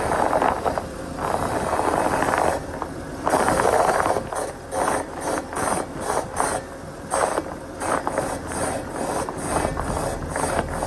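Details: 2007 Ford Territory AWD, 165,000 km: repeated dry creaking squeaks come and go with each rocking movement or bump, from worn front control arm bushes; the car failed inspection for left front control arm bush noise.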